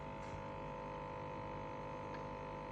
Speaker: that noise that's coming from the back is actually fan noise. you'll hear it stop when I open up the door. So, what that noise is caused by is ice buildup behind this panel here.